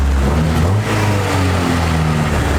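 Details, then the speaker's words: Honda EK Civic with broken plug wire boots, possible vacuum leaks and missing primary O2 sensor: engine rises and settles cleanly with each throttle blip, deep even note, no misses; throttle response good. "but how's the throttle response pretty good"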